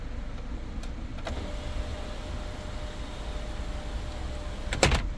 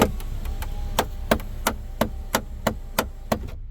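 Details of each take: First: 2017 Kia Sportage EX panoramic roof after installing a replacement motor: steady, even motor whine for several seconds with one soft clunk near the end, no skipping or grinding. Glass and sun shade close and open properly. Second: Hyundai/Kia panoramic sunroof glass rear drive motor skips with sharp cracking about three times a second over faint motor hum while trying to close; glass stays partially open, motor removed for inspection.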